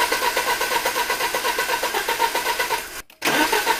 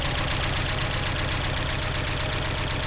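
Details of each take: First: 1983 Porsche 944 Turbo on a jump pack, after a new fuel pump and relay were fitted; the fuel rail gauge shows pressure. Steady cranking at about four turns a second, a short pause, more cranking, and it never catches; cause unknown. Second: 1983 Porsche 944 Turbo revived after new fuel pump and relay and oil change, freshly started after extended cranking; even regular idle pulse a little over two beats a second, slightly smoking, no knocks, normal idle.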